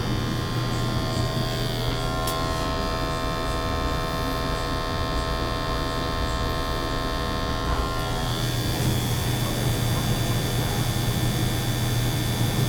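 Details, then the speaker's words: Natural gas boiler with high CO levels flagged in an energy audit, after burner cleaning: steady, even hum with a constant low drone and no roaring, popping or fluttering; burner firing cleanly, CO PPM coming down. "Probably just needed the burners cleaned. I mean, there wasn't a lot in there, some. But let's see, it's gonna be okay. PPMs are coming down."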